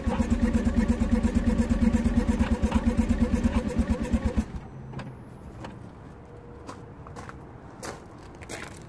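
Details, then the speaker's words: 2009 Smart Fortwo 451 1.0 L 71 hp petrol, in neutral with brake pressed: starter cranks evenly at about three beats a second for four seconds, never catches; fuel smell, so no spark suspected, not confirmed. Crank no start. "and it definitely cranks and I can smell petrol I can actually smell petrol so it might be that we have no spark"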